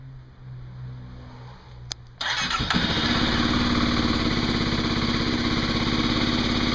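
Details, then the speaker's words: Kawasaki KLX250SF, 452 miles, cold start after a few days sitting, airbox snorkel removed (stock said to run lean); starter catches quickly and single settles into even thump near 200 beats a minute, loud through open intake. "so go ahead and do a cold start here hasn't been started in a few days but let you guys hear it without the snarkle on it"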